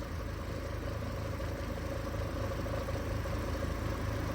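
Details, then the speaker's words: Hurricane Ian flood-damaged truck at Copart, run a few minutes: steady engine drone with slightly uneven, lumpy idle; not knocking or ticking, just a miss, unsure if a coil; head gasket being checked. "I don't know if it's a coil or, I mean, it doesn't sound horrible. It's not knocking or ticking or anything. It's just got a miss."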